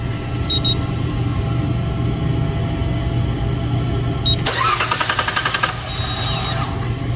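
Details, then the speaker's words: GM 3.6L direct-injection engine during a Kent Moore active fuel injector test (AFIT), injectors fired one at a time: a steady low hum, then a rapid, even ticking buzz for about a second as one injector fires and sprays. "okay that's the injector making that buzz noise was it it was spraying kind of cool"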